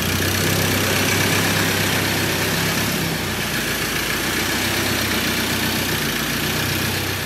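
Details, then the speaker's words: 2013 Ford Ranger 2.2 TDCi with a newly fitted recon (reconditioned) engine, before a road test: steady, even diesel idle with a smooth low chatter, no knocks or bangs; the engine is quiet and healthy. "there's no knocks no bangs and we're really really happy with it so that engine is quiet"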